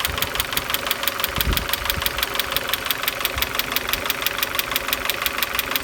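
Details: Opel X20XEV engine knocking cold and hot: sharp metallic ticks about three per second over a steady idle, keeping time with the engine. Cause not yet pinned down.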